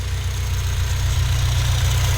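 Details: 2011 8th-gen Honda Civic Si after crank pulley replacement: smooth even idle, steady low hum, no knock or wobble; much quieter than before, when old pulley made engine and ride hum; issue fixed.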